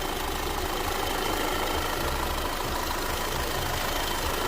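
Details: Audi/Volkswagen petrol engine with EPC light coming on at low 1500 rpm under throttle: uneven stumbling idle, engine shaking and struggling, sounding like a diesel, some smoke; a cam-related sensor suspected, being diagnosed.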